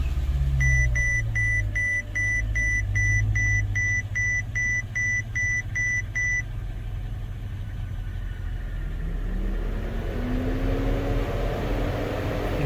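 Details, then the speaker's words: 2008 Mercedes-Benz CL500 (W216) with the climate control unit failing to communicate (code 0237, fan request implausible; no heat or airflow). Chime beeps, then the engine starts and a loud steady fan roar holds: cooling fan stuck on high speed. "you can hear the fan is stuck in high speed position"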